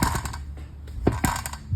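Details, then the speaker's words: Light, sharp metallic ticks, three or four a second, as the raised rear wheel is moved; the slow-speed "tec tec" clicking was a loose wheel balance weight, not the brakes or suspension. "O barulho é isso aqui. É o chumbo que o pessoal colocou aqui pro balanceamento que tá frouxo."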